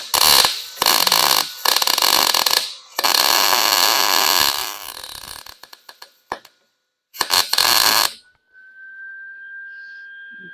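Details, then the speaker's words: Lincoln 140 Pro MIG 110-volt welder, customer complained of fast-slow wire feed, running a bead with wire turned up slightly: steady crackling sizzle like frying bacon; wire feed and arc running smoothly, welding decently. "sounded good you could hear it it sort of like sounded like fried bacon so um it actually seems to be welling pretty decent for being a 110 machine"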